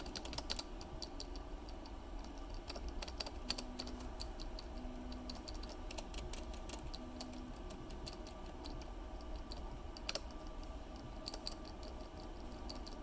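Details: Final version of a 3D printed keyboard stabilizer with clips and increased internal tolerances, compared to a Cherry stab: soft, even key taps with no rattle or ping after each press; well damped.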